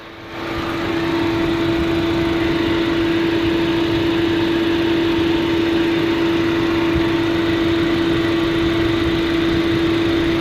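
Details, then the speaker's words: 2005 Chevrolet Astra that overheated with only one fan working, after replacing a fan relay; at 221 degrees both cooling fans run at second (high) speed with steady even hum and air rush, normal operation. "221 grados se escucha como gira mucho más rápido [Música] ambos ventiladores giran"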